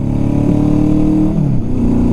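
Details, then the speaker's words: Honda CB750 four-cylinder, not properly tuned: engine revs up and drops back with a slightly uneven, lumpy note; misfire on one cylinder, needs dialing in. "if you can hear, this bike isn't running on all its cylinders effectively. It's slightly missing on one cylinder, and if I do pin it, it's not going to go anywhere because it's just not tuned correctly."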